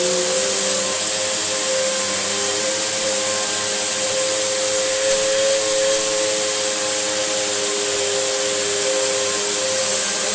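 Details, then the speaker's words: Samsung SU3364 upright vacuum cleaner running: steady high airy rush with thin whistle over motor hum; sounds like a big air leak somewhere, source not yet found. "sounds like there's a huge air leak coming from it somewhere"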